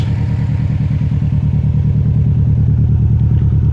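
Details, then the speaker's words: 2006 Subaru STi with aftermarket newer STi turbo: loud lumpy rough running, engine shaking with compression blowing out of crankcase; mechanic suspects bad turbo rather than head gasket. "so the car is shaking a lot and compression is coming through here"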